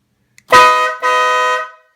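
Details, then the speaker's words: Harley-Davidson Breakout with stock horn replaced by Wolo Bad Boy air horn: two loud bright half-second blasts, steady pitch, no rattle or sputter; new horn very loud and healthy. "you know what your standard for it sounds like okay and this is what the new air horn sounds like"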